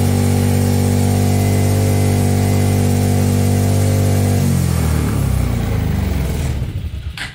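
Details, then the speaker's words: Trailmaster Challenger 300 go-kart side-by-side single, which died at stops, after replacing its broken carburetor; steady, slightly fast idle for several seconds, then winds down, running evenly without stalling. "i feel like the rpm is right it's going fast but it didn't die so that's a good start"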